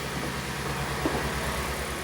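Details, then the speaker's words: Kia Sportage restyling with G4NA engine, 100,000 km, just restarted after a full engine rebuild for a scuffing knock after cold starts, heard from outside before warm-up: steady, even idle with no knocks or taps. "так ну что работает ровно книге ничего не брякает"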